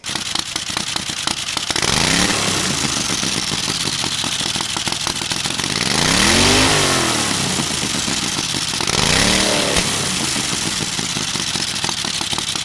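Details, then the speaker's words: Turbocharged 670cc Chinese V-twin buggy, draw-through carbureted turbo, free-revving unloaded: three sharp throttle blips with turbo hiss, clean pull-up, no misfire, fast throttle response; footage later showed the wastegate (spec 14-15 psi) starting to open, so a bigger turbo is suspected needed. "And I am amazed at how fast the throttle response was. A lot of the guys on the internet said it'd be sluggish, but I just don't see it."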